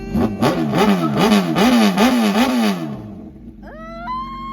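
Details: Crashed Honda CBR1000RR four-cylinder first start-up after Marvel Mystery Oil soak, coolant status unknown, smoke from oil spilled when wrecked upside down; repeated blips rising and falling cleanly, no misses or knocking: normal revving.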